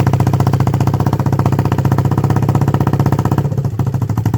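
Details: 1976 Honda XL250 (8000 km) on first start after a 3-month restoration: crisp, evenly spaced single-cylinder thumps at a steady fast idle with no misses or knocks, a healthy engine.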